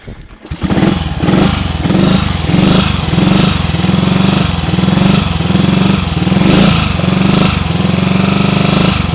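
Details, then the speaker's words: Triumph Tiger Cub single-cylinder trials bike started after carburettor flooding, on a damp morning with the bike dripping wet: runs lumpy, surging and faltering about once a second, had stalled under load; cold-engine misfire, settles once warmed up. "Oh dear, what's the matter with this thing then?"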